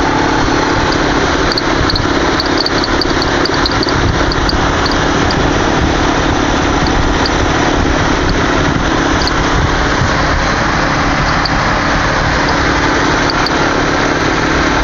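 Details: 2007 Toyota Camry SE V6, engine bay at idle: faint, short, high-pitched chirps. The chirp persists after replacing the tensioner, pulley, belts and a cracked motor mount; the owner suspects the water pump or idler, not confirmed.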